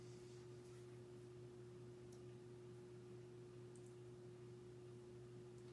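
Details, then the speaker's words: S.M.C. Royal Flush 42" ceiling fan, circa 1994, model U42-L; quiet steady low hum with a higher tone on top, no knocking or rubbing; slight motor hum, otherwise smooth. Motor hum. "got a slight motor hump to it too as you can hear otherwise very smooth on it fan"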